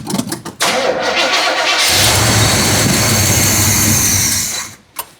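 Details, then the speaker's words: 1972 Chevrolet El Camino, 402 big-block V8, first start after decades parked under a carport, fed a little fuel: sputtering cranks, catches, revs briefly, sags and dies; carburetor stopped up, needs rebuilding. "Carburetor stopped up."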